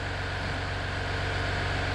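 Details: 2019 Ram 3.0 EcoDiesel just after 20k/30k service with oil and fuel filter change, fuel system primed, first start with oil pressure still low: steady low diesel idle, even beat, no knocks or ticks; normal idle.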